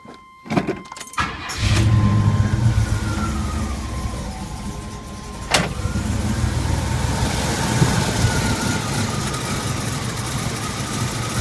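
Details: 1981 Turbo Trans Am V8 on cold start: it cranks and catches, then settles into an uneven, lumpy idle that shakes the whole car, with a wavering high whine.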